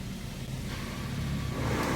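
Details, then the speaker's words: Toyota Corolla Altis radiator fan after repair, engine idling with AC on: a smooth whooshing fan with no rattle or scraping. The fan pulls air inward correctly, confirmed with a paper test. "Oke, kipas sudah nyala. Sekarang coba kita lihat ya, apakah betul."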